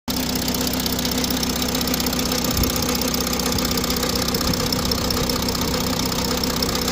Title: audi a6 c8 45 tdi,strange engine noise